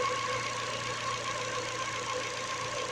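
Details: Ford engine at idle with a newly fitted Contitech timing belt: a constant high whine over a light hiss. The owner suspects the new belt; unconfirmed.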